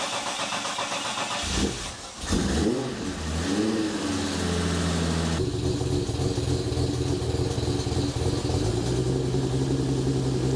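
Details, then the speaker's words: 3.8L naturally aspirated Ecotec V6 burnout car, first start-up after final assembly with brake cleaner sprayed in: cranks, catches with a rev flare, then an uneven, lumpy, wavering idle; tune still off, so running rough. "still a bit off, so she's going to be a bit rough."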